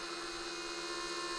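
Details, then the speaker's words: Cummins ISC 8.3 diesel with suspected air intrusion in the fuel, key on, engine not running. Lift pump first primed with air, then picking up fuel; now a steady whir with a strained humming drone as it labors, which it should not do. "now it's laboring which it should not do that"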